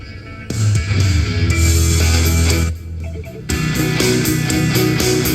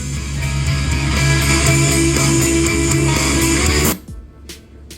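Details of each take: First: Marshall Emberton speaker after repair (previously shorted and cut out when turned up), playing at full volume: loud rock music with deep bass and clear treble, no crackle, distortion or cut-out. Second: Marshall Emberton Bluetooth speaker, battery nearly full, playing guitar music at maximum volume: sound cuts out abruptly with a faint whoosh, leaving near silence and a few faint clicks; customer reported shorting sound then shutoff at full volume.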